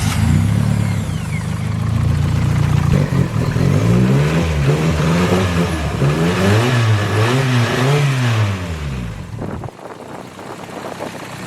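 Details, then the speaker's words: Forged turbo Toyota Starlet 4EFE (4EFTE) rebuilt from second-hand parts with no clearances checked, after cold start; fires cleanly and revs smoothly with pitch following throttle, no knocks or rattles, a bit smoky. Runs really good. Normal running. "we've just slapped this whole thing together. It actually runs really good."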